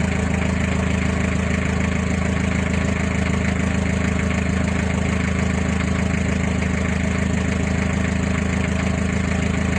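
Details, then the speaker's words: Mazda Bongo at idle after the weak battery was charged: steady, even low idle with a smooth regular beat, no knocks or squeals; charging normal at 13.5 V, and the relay is no longer noisy. "Normal yung current charging. 13.5 mga idol."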